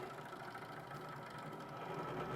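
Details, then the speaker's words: iBuyPower PC tower after swapping in a Corsair H100i AIO cooler. Steady whirring with a gritty edge comes from the bottom case fan, which is grinding and probably loose. "these iby power fans in general they also grinding but the new cooler is in it's actually just this bottom fan here it's really I think it's just really loose"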